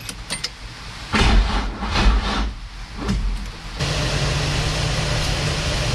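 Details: Nissan S13 with VQ35 swap, fuel pump wired to brake light circuit, under a quarter tank: short cranking bursts then a steady low drone without a clean catch; crank no start, fuel issue and dead battery suspected.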